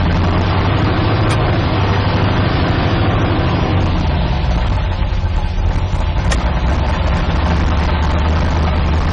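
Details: 1972 Nova drag build, in gear after transmission test following fluid drain (earlier 2-3 shift locked rear wheels); deep even idle rumble holding steady, no clunks, slips or flare; all gears and trans brake working, normal idle in gear.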